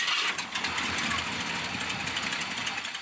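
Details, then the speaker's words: Ford F100 with carburetor, cold morning, choke set wrong and idling too low: engine cranks and stumbles for seconds before barely catching; hard starting, fouled plugs and fuel percolating from the carburetor suspected of making it run rich. "But that's what it's doing here lately. It's taking a lot more time for it to saw up and actually get the thing to start."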